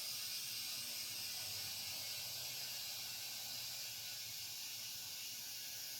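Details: '71 Plymouth, mismatched spare tire: steady sharp hiss holds without a break, nothing else behind it, air escaping from the tire; air leak, cause not confirmed.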